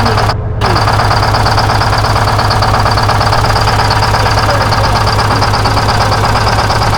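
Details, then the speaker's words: 1970 Peterbilt 341 with a 6V71 Detroit two-stroke diesel, unused since 2018: rough, uneven knock about three beats a second over the drone, smoking, with dead cylinders found; running on 3 cylinders, injector to be checked. "The back one's dead on this side. It's running on 3 cylinders."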